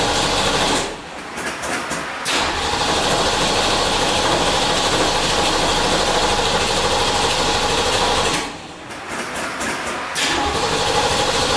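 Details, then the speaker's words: 1967 Ford Mustang, first start in four months after refitting the repaired transmission: a loud, lopey V8 idle with two quick throttle blips. It picks up cleanly and settles back smoothly, sounding healthy. "all right I haven't driven this thing in four months I'm actually really excited punch feels good she sounds good"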